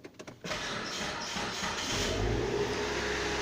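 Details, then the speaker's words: 2004 Hyundai Santa Fe four-cylinder after replacing both coil packs, the first being the culprit: short crank, quick catch, steady even idle with slight clicking from wiring, no stumble or misfire; normal start and idle. "There we go. The car is now started. All the stuff is working. Hear a little bit of a clicking sound, but that is the wires making it, telling the computer to do its job."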